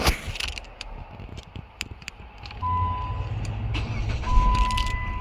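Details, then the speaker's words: 2011 Jeep Compass 2.4L no-crank, ignition switch feed reading 2 V instead of 12 V: with power added, clicks and a dash chime, then the engine catches and settles to a steady low idle; normal start. "It'll start if we add power."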